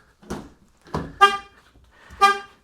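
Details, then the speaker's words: 2021-2026 Chevy Trailblazer with dead key fob, door opened with emergency key: short horn chirps about once a second, the anti-theft pre-alarm warning giving about 10 seconds before the full alarm. "you hear the vehicle beeping at me there."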